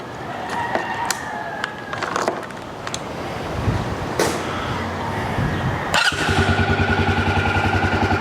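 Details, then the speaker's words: Yamaha Grizzly 300 ATV after a no-start/won't-stay-running fuel delivery fix with a new fuel valve (part 1SCF4500-10), running an aftermarket Chinese carburetor: after some clatter it catches around six seconds, then holds a steady, even idle with no misfires. "oh yeah it's got good idle good wide open throttle that little chinese aftermarket carburetor works pretty good"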